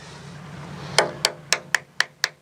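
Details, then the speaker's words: Catalina 380 sailboat hull after hard grounding, tapping fiberglass near keel: eight evenly spaced taps ringing hollow and papery rather than solid, voids less extensive than other side, with stress cracking. Hollow tap sound from voids. "we can definitely tell there's some voids in here too on this side. You can hear that. It's not as extensive as the other side, but I can see the cracking goes all the way up here."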